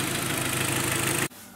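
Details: Kia G4KD 2.0 petrol engine (Sportage/Optima/ix35), freshly started at idle, with a quick, even, loud metallic knock beneath the running noise; teardown found scored cylinder walls, piston slap, repaired by sleeving.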